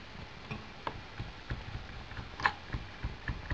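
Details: D6 model steam engine running for the first time in about 1.5 years, driving a small light bulb: light, fairly irregular ticking and soft chuffs at low level. Normal running.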